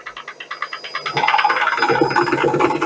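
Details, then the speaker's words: Washing machine during spin: rapid rattling knock that grows busier and louder as the drum speeds up; loose drum counterweight. "Şimdi tekrardan sıkmaya geçti bakın sese çok zangır zangır zangır çalışmış biraz da yükselecek"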